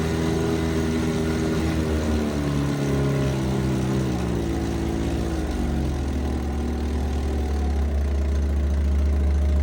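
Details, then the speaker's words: 1968 Evinrude 3 hp Yacht Twin vintage outboard, likely unrun since April, started in a test barrel before winter storage; soft, even low burble with a steady beat, no misses or knocks, barely audible, idling great. "Thing idle sound great. Barely hear it."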